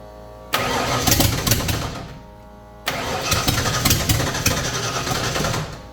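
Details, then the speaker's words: 1989 Ford Fox body with a carburetor with a choke and fuel pressure around 6: two cranking bursts with uneven catches that never settle into an idle; the front float bowl was found empty, fuel starvation that fires but won't run. "all right it still is trying I think maybe a little bit higher fuel pressure we're sitting at like maybe six right now"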